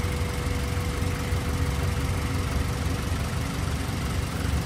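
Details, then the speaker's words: Honda B16 engine after timing belt, water pump, tensioner and battery replacement: smooth, steady low idle with even note, no ticks, knocks or misses; idles like a champ. "just idles like a champ."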